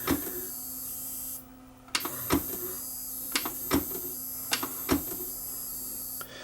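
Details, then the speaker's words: Samsung SV5000 multisystem VCR before repair: a faint high squeal from the power supply and a steady low buzz, with repeated clicks as the unit switches itself off; suspected power supply problem. "i suspect we have a power supply problem on this one"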